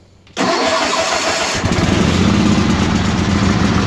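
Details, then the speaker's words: 1968 Suburban Hydro Trac 12 garden tractor on a cold start with choke: catches, then runs lumpy and uneven, sagging as if about to die before picking up; engine needs lots of choke until warm. "yeah let her get wet and then she's fighting she wants to shut off but if you let it sit here in idle with the choke on for probably 30 seconds no it ain't happy"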